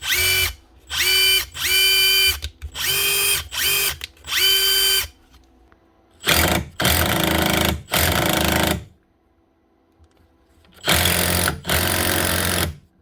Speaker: One wee Makita Impact Driver, the DTD154, up and running again with a new gearbox housing, costing about, what was it, €17 plus the VAT.